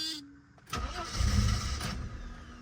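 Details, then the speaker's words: 1990 Mercedes 300E W124 with a new fuel pump, fuel filter and battery: the engine stumbles, catches, then drops to a low shaky idle that needs throttle to stay alive. Long hard start, sometimes with the check engine light on after shutdown; cause unconfirmed. "every once in a while when I turn off the car my check engine light will be on and there would be no key in the ignition then I get a real long hard start"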